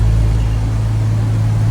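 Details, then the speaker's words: 1990 Jaguar XJS V12 with dead fuel injectors, heard at the exhaust before injector replacement: a smooth, deep, even rumble with no missing beats; this bank fires cleanly, while the left-hand bank misses badly. "The easiest way is to come down to the exhaust, and this one just purring"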